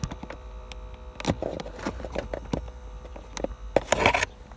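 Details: Ford Focus 2 climate-control cabin air temperature sensor, removed: its small fan motor makes a steady low hum that swells and fades as the sensor is turned. Causes are dirt in the motor, sensor position and dash resonance; fixed by cleaning and rotating it.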